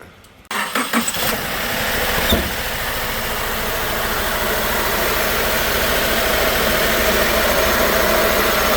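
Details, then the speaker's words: 2018 Subaru Forester 2.0 turbo, code P0304, heavy white smoke: engine cranks, catches and settles into a rough, stumbling idle. Cylinder 4 still misfiring after the spark plug was checked. "sí tenemos todavía el cilindro 4 fallando"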